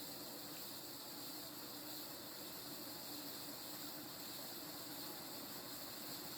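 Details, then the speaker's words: 36-inch View Fan industrial-style ceiling fan from the mid-to-late 1980s, with a 5-speed wall control, at speed two: a steady bearing hiss with airy rush. The bearing noise gets louder as speed rises. "i'm gonna take it up the speed number two the bearing noise only gets worse the faster the fan goes"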